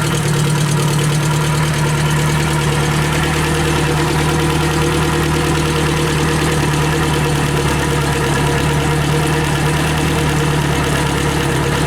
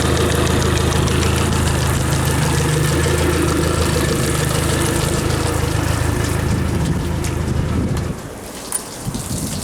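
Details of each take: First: Yamaha F60 outboard, warmed up, brought in for knocking at crankshaft near cylinders 3–4, after repair: steady even hum and smooth low drone, no knocking or tapping; fault found and fixed. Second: Yamaha F60 outboard, warm, idling on two cylinders with plugs 3 and 4 removed: sharp even knock about three per second from crankshaft near cylinders 3–4; oil pressure good, valves checked; found piston binding on tight wrist pin.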